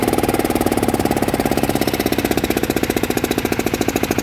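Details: Yanmar 160 single-cylinder diesel after rebuild with new bearings: it starts easily and gives a crisp, even chug with no knock or rattle between beats. Bearings quiet; the engine runs healthy.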